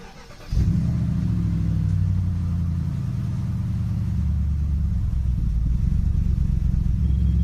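Engine catches and settles into a low idle whose pitch sags and recovers over several seconds, so the idle speed is hunting.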